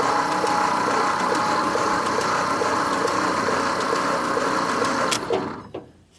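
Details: 1950 Nash Statesman, unrun for 23 years and not seized, cranked via an alternative method because the floor starter switch is seized, with lube squirted into the cylinders; even, steady cranking about four turns a second, spinning freely and sounding healthy.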